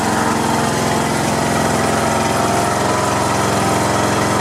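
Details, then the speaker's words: Craftsman LT1500 riding mower, sat in a barn for years, after a new drive belt, mowing deck not yet attached: steady even single-cylinder thrum at constant idle, no knocks or misses; runs smoothly. "I'm gonna crank it up first and make sure the transmissions okay before I hook up the the mowing deck"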